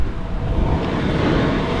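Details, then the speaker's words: Campervan diesel heater after re-priming fuel line that had air in the tubes: steady low roar of combustion, even rumble, no sputtering; heat restored, only error 00 shown; normal diesel heater running. "We're having heat, that's good. I still see an error code, but error 00 is not really an error that's in the list. But yeah, we're having heat again, so that's good."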